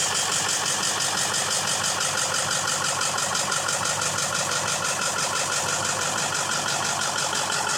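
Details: 2001 Ford F-350 7.3 Powerstroke turbo diesel: even cranking about two beats a second without the engine catching; hard start, cause being diagnosed.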